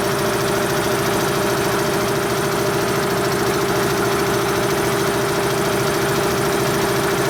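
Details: Dayton 240V 7.5 hp shop air compressor after repairs to the motor, reeds and capacitor and a pressure-switch spring adjustment. Steady, even motor hum and smooth pump drone while building pressure from about 130 to 162 psi; it runs normally.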